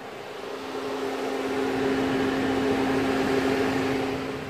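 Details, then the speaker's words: Peugeot 208 with replaced engine, ESP and engine warning lights on: steady airy roar of radiator cooling fans running full speed for minutes after shutdown, no engine running; link to the faults not yet known, scan pending. "the cooling fans are running full speed is that going to be related or not don't know yet"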